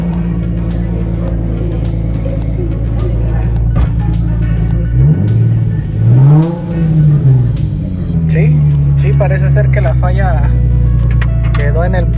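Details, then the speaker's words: Nissan 350Z V6 after ignition coil replacement for a misfire, still warming up: smooth idle with one quick throttle blip that climbs and settles cleanly, no stumble or miss; sounds good. "Vamos a darle un pequeño acelerón, pero la verdad es que se escucha bastante bien."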